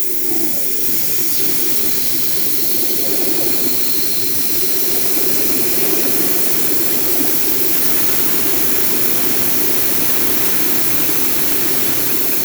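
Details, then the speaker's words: Rotary gas meter, G160 3-inch model FQ 321, after maintenance: a loud, steady rushing roar with rough churning. It turns well, but its lobes look somewhat damaged and are suspected to cause the noise. "Acho que dá até para ver que os lóbulos já estão um pouco avariados, né? Ele tá girando bem, mas tá com barulho."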